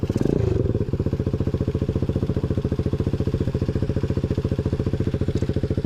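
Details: Newly installed 125cc 4-speed kick-start engine in a Pagsta chopper build with a new fabricated exhaust; crisp, even exhaust beat around three to four pulses a second, no misses, knocks or rattles; small single running healthy.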